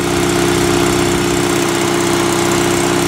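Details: Sears SS16 twin-cylinder garden tractor, winter cold start: loud, steady cold idle with a lumpy, slightly uneven beat about 2.5 pulses a second, smoking and running rich while warming; owner will fix the mixture later.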